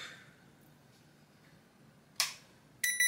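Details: Hisense air conditioner indoor unit board with fan feedback cable reconnected, switching to cold mode: quiet room, then two short sharp high beeps about half a second apart; command accepted normally.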